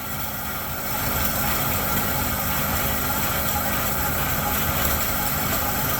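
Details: Chevy C10 pickup, 350 V8, sat in barn 30 years, cold at 29°F, first start on primed fuel with empty tank: smooth even V8 idle, steady low rumble, no misses or knocks; normal idle.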